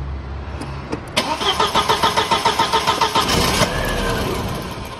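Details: 1999 VW Passat 1.8T petrol wagon that cranks but won't start, scanner showing a main relay fault: about fifteen even starter turns, then it catches briefly and sags away as the relay cuts power.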